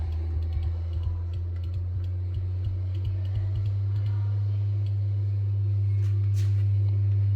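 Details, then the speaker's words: Polk Audio PSW10 subwoofer class-D plate amplifier, 60 Hz test signal at 500 mV peak-to-peak: steady hum with scratchy crackles and pops while the volume pot is turned, worst at its low end; volume pot suspected, not confirmed. "I've got a 60 HZ signal at uh 500 molts Peak to Peak going into it you should be able to definitely hear the crackling sound now"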